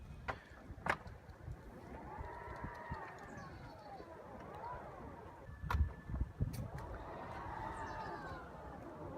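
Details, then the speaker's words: Tesla Model X falcon wing doors after a service visit in February 2017 that fixed creaking and misalignment which began after two weeks of ownership. A soft motor whirr rises and falls as the doors swing, with no creaks, pops or groans: normal door operation. "So no creaking from the doors anymore. Everything looks and sounds good."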